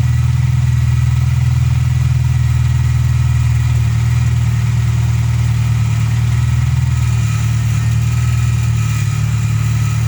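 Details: VW Polo Playa idling after distributor wiring loom repair fixed no-spark; even, steady low rumble about four pulses a second, no misses or knocks, smooth idle.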